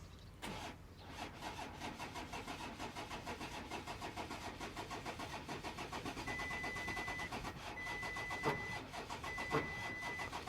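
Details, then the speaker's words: 2014 VW Touareg V6 TDI, cranking: starter turns slowly with labored uneven rhythm and never fires; hydrolock suspected from an injector spraying down too much fuel; no fault codes, P0087 fuel pressure too low, had run nearly out of fuel. "Hydrolock, eh? Hydrolock. We've got an injector, we could hear that sitting in here. Injector spraying down too much fuel."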